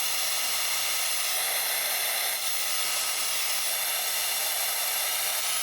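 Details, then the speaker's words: Dyson Airwrap after cleaning a carpet of fluff off the motor inlet: smooth, steady high airy rush with an even fan tone and no strain, much quieter than before; normal fan running. "it's like that. I'm covering that. That is so much quieter. So yeah, I'm 100% sure that you can all hear the difference, the before and the after."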